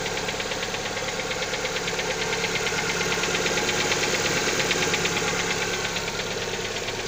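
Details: Lada XRay just after a cold start: sharp, even knock about three per second running steadily over the idle; engine knock, cause unknown.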